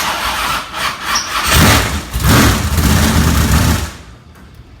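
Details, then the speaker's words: Race car engine that failed the night before, cranked and run on throttle for diagnosis; fires and revs in rough bursts with harsh clatter from the top end before quick shutdown; top-end valvetrain noise, lost oil pressure suspected, unconfirmed. "me you heard that on the top I hope it's a yeah okay well that was the noise I heard"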